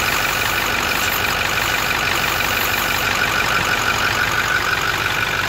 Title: 2008 Ford F350 6.4 Powerstroke Stroker Diesel Utah Blow By